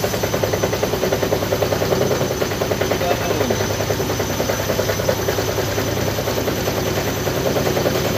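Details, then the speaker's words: Side-door (front-load) washing machine at fast spin, heavy uneven thumping and rattling about three times a second as it rocks; violent vibration blamed on incorrectly placed feet. "penempatan kakinya yang salah sehingga menyebabkan getaran kayak diawal tadi kayak yang video dikirim oleh Orangnya tadi kita lihat di awal ya"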